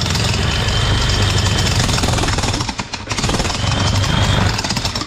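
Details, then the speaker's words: Hitachi jackhammer that would not hammer, after freeing the piston stuck in the barrel and reassembling: hard, rapid hammer blows over the motor roar with a brief dip midway; now hitting strongly, motor not smoking, normal hammering. "what you want to see because now stop knocking and I believe it's very strong now so that's how you do review the Jackhammer okay nothing wrong the engine the sorry the motor did not blow smoke"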